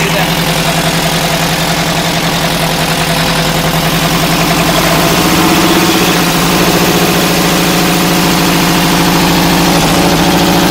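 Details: Air-cooled VW flat-four, either the 1972 Super Beetle or the 1971 Karmann Ghia, running after no-start troubleshooting: loud, even, slightly clattery idle holding a steady beat with no misses or knocks; healthy.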